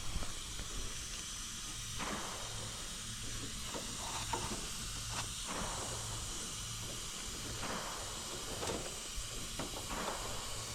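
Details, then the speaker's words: AC condenser, possibly Trane or American Standard, pressurized with nitrogen after oil residue was found: steady airy hiss with faint ticks, gas escaping through a leak in the condenser coil. "I'm hooking up to my nitrogen tank now. All right, we're putting pressure on it. I think I hear something."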